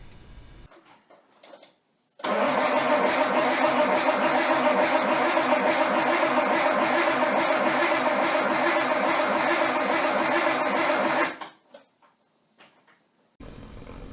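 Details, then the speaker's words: Nissan 240SX S13 with an RB20DET swap, sitting over a year, second start attempt: the starter cranks fast and even, about 3.5 turns a second, for nine seconds, but the engine never catches. Injector circuits to be tested next. Crank, no start. "so the second startup attempt was fail which is really funny because if you look at my older videos I actually ran this thing on the engine green"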